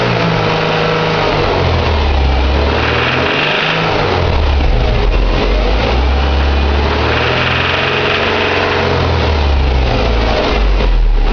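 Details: 2006 Subaru Impreza 2.5i EJ257 SOHC naturally aspirated boxer, 52k miles, at idle: loose, uneven knock about four per second over low rumble; owner suspects pulley, timing belt bearing, piston slap, tappet or rod knock, cause unknown.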